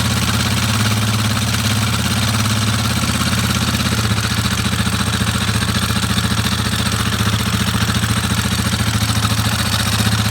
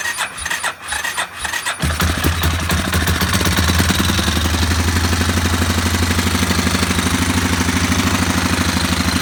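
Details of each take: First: Warrior ATV number 4 after a valve adjustment, warmed up, with the timing chain tensioner unchanged and nearly maxed out: a single-cylinder idle with an uneven light clatter at about 3–4 per second. Sounds better, but a tick remains; the owner suspects the timing chain tensioner. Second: Warrior ATV number 4, about 1–1.5 hours on the motor, after a valve adjustment, choked and with no gas tank fitted: it catches and settles into a steady, slightly fast single-cylinder idle with much less rattle, smoking as oil cooks off. Running normally.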